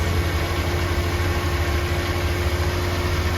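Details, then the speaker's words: RV engine after fixing a bad misfire: even steady low rumble, the earlier tick gone, no stumble; smooth idle after repair. "Instantly better, I can hear it. See the difference in how much smoother this is? Yes."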